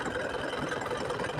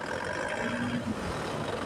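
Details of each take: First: Isuzu Panther 2.5 diesel after AC compressor pulley bearing and centerpiece repair, AC on: slow, uneven idle with rough, pulsing beat and engine shaking; rpm too low because idle-up is misadjusted. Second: Isuzu Panther 2.5 diesel with AC on, after compressor pulley bearing/centerpiece repair: idle too low, engine shakes as idle-up not right; revving hard, the rumble rises and falls smoothly with no knock, squeal or bearing growl, which is normal.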